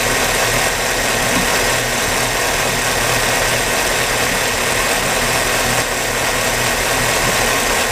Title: Engine Ignition Misfires